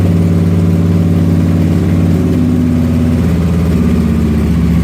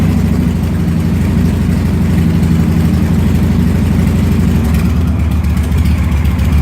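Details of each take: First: Motorcycle just after starting, throttle blipped by hand through a rough spot: lumpy, uneven idle that then settles and runs fine without stalling; rough idle after cold start. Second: Motorcycle idle after the throttle was worked to get past a rough-idle spot: steady, low, even beat with no stumbles or dips; it idles and runs fine afterwards without stalling.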